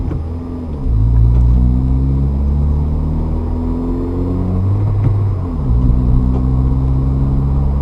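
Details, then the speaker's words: Manual transmission upshift with throttle applied too early at the bite point: revs jump and pitch climbs while the clutch is still slipping, then drops as it bites, wearing out the clutch. "You can hear the car kind of rev up when the clutch is not engaged. That's not what you want to do because that time you're wearing out the clutch."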